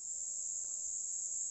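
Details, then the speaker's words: Cleaned Jouef 3-pole model railway motor run directly on a battery, with polarity reversed: a thin, steady high-pitched hum with no screech or howl, much quieter than before cleaning. "Much quieter. Even if I lean over, no screeching, no howling. Let's invert polarities. That's a much quieter motor."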